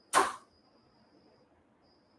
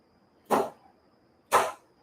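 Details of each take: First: Cadillac limousine door popper relay, passenger door set to a two-second inching timer. One sharp clunk as the solenoid pulls in, then quiet, then a release clunk over four seconds later. It stays energized too long, longer than the driver door. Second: Cadillac limousine trick door popper relay system (RF and WiFi), driver door button pressed during install. Two crisp, sharp clacks about a second apart, each dying off fast in a quiet room. The door popper solenoid fires normally.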